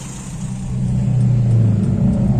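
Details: Toyota Kijang 5K petrol engine after replacing the distributor's centrifugal governor spring: the low rumble climbs smoothly and evenly as the revs rise, with no stumble; normal revving.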